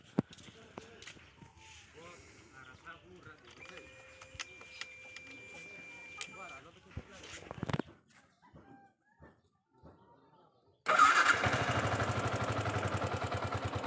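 After farmyard clucking and crowing, the engine fires at once and holds a steady, fast, even beat; it starts fine now.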